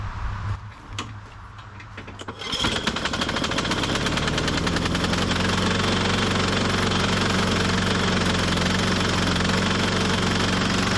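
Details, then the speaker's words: 1998 Ariens 21-inch self-propelled mower (model 911080, engine VLV60) being revived: a sputtering start, then a harsh clanking clatter about four beats a second over a loud, rough run before it dies on its own. The self-propel was not working, and the cause was unclear. "I don't think I did that I think it died on its own there what sounds so terrible my goodness"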